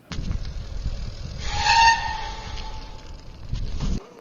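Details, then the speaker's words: Bicycle rim brake: a clear high squeal rises over the rolling noise as the brake bites, then fades as the bike slows; rim brake squeal possibly caused by dust, debris or rim metal shavings stuck in the pad. "Similarly, rim brake noises can be from dust or debris or even little metal shavings from the rim getting stuck in the pad."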